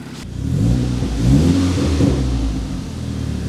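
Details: Mk5 VW GTI petrol engine on its first start after a new basemap for hardware changes, using Audi S3 injector data; blipped up and down smoothly, pitch rising and falling cleanly with no misses or knocks; sounds healthy.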